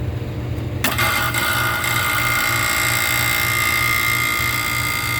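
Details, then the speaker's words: Walk-in cooler condensing unit (compressor with weak valves, bad headmaster and fan cycle control, plugged evaporator) started after purging lines: compressor kicks on with firm even low pulsing about three beats a second and steady hum; sounds healthy. "Sounds healthy. Sounds very healthy."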